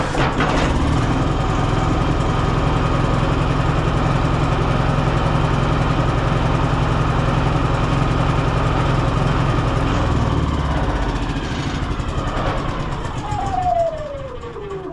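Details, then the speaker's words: Yamaha EF4500ISE inverter generator with 61 hours that starts but runs rough and dies under load: very rough, lumpy running with exhaust pops, as if choking or fuel-starved; carburetor suspected despite a previous cleaning attempt. "Now it is running, but it sounds extremely, extremely rough and almost like it's either choking out or not quite getting enough fuel."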